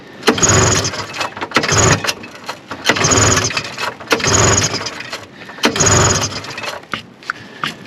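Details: 1974 Arctic Cat Lynx 340 fan-cooled snowmobile, left outdoors 5 years, cold in snow, old gas, primed with brake cleaner: repeated pull-start bursts about every 1.5 seconds, engine turning but never catching; a no-start after long storage.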